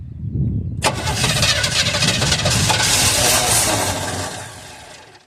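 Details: 1978 Chevrolet Custom Deluxe truck sat 21 years, open vacuum port just plugged, before ether: starter churns about four seconds with a few ragged firing pops but never catches; cranks, no start.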